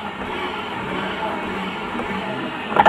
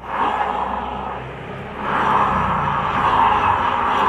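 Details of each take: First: Honda Vario 125 CVT after replacing the part (klaker), rear wheel spinning: even, steady belt-drive whir, no grinding or gear-like noise, unchanged with pulley fitted or removed — noise cured, normal CVT running. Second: Honda Vario 125 scooter CVT, rear wheel turned by hand with the pulley fitted: rough, gritty grinding hiss traced to the rear pulley clutch bearing, not the final gear; grinding absent with the pulley removed.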